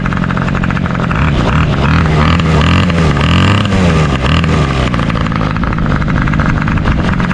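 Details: 2003 Toro 51938 trimmer with a 25cc two-stroke, cold start that fired on the first pull; fires quickly and holds a steady buzzing note that rises and falls smoothly with no misses or rattles, healthy engine.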